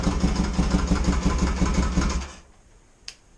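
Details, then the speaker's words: 1982 Yamaha XS650SJ twin on a lift, low on fuel after petcock and fuel work, runs with a steady, even beat for a couple of seconds then shuts off cleanly, no knocks or misses; battery very dead, charging system to be checked; normal running. "okay good test um yeah not a lot of fuel in it didn't want to run it too hard and i know they say don't run on this lift but whatever it's my bike so she seems to be working"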